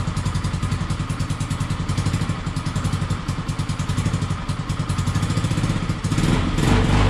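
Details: Peugeot Django 125 single-cylinder scooter after carburettor replacement for hard starting and poor running: even steady putter, no misses or stumbles, revs lifting slightly at end; healthy idle.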